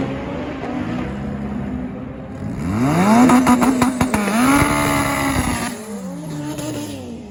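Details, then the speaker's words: Boosted Integra at the drag strip, recorded in-car: revs climb hard, then break up into choppy sputtering near the top under boost; owner attributes it to the limits of the factory distributor. "um yeah as you can see on that video the in-car footage you can kind of hear it sputtering hold on scar coming you can kind of hear it you know sputtering climbing the rpm"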